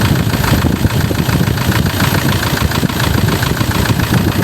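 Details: 2004 Toyota Tiger D4D common-rail diesel pickup idling with the oil dipstick pulled to check blow-by: dense, low, even clatter with no misses or knocks, no smoke or vapour; engine not loose, normal idle.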